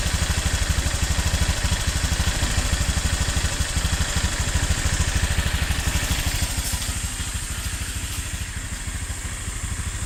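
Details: New Honda Click 150i scooter, odometer 300 km, at idle: fast, fairly regular tick about three per second over the exhaust thump; source not pinned down.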